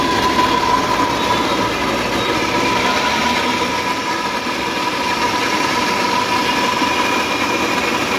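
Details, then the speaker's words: E-rickshaw, both rear wheels lifted and spun free: steady high whine over a rough rushing drone, same noise from both wheels, so not the wheels; mechanic suspects motor bearing, motor fault or crown. "तो आपने देखा दोनों पहियों को उठा के हमने देखा दोनों तरफ से वही आवाज आ रही है जो उस पहिए से आ रही थी वो इस पहिए से आ रही है"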